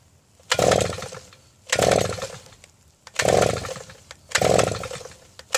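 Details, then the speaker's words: Southland two-stroke post hole auger with a replacement BPMR7A plug: repeated pull-cord cranking, sputtering without catching; plug stays dry, carburetor fuel delivery problem suspected. "So hopefully this will start. Well, I wish it could have been easier than this."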